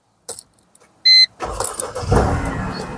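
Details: Mercedes-Benz C-Class started after SAM unit repair. A key jingle and chime, then the engine cranks and catches promptly into an even idle; a clean, healthy start.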